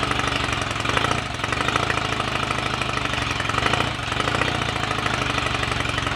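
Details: Royal Enfield Rickman Interceptor 750cc parallel twin, first start after owner engine rebuild and gearbox rebuild, timing and tick over not yet set: even, steady beat, no knocks or misses; sounds good mechanically, started willingly despite fuel tap leaks.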